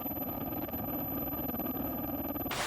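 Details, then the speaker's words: Mr. Heater Buddy propane heater in a tent around -13°C, mic placed low: steady gas roar fluttering unevenly, flame sputtering though tank still about half full; owner suspects cold affecting propane. "So if I put my mic down here, you'll hear it sputtering."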